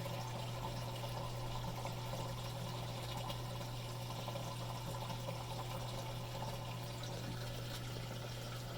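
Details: Three-year-old Samsung WF45K6200AZ/A2 washer with mainboard already replaced, rotor, stator and water pressure sensor ruled out: steady low hum and trickling as the drain pump runs evenly, but no inlet fill; wash cycle never fills or progresses, cause unknown.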